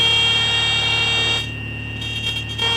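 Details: Light training aircraft during stall practice; a steady high-pitched stall warning horn sounds over the engine drone, then cuts out and chirps briefly.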